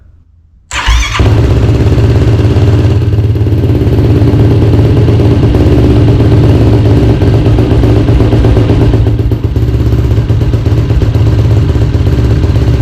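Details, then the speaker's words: Yamaha YFZ450R XC race quad, first start after engine rebuild with Maxima 10W30 break-in oil: catches quickly and settles into an even single-cylinder idle with no knocks or ticks, brief smoke burning residual oil; normal idle. "okay guys well there you have it she runs and she runs good so it sounds just as good as when I took it apart which is sweet"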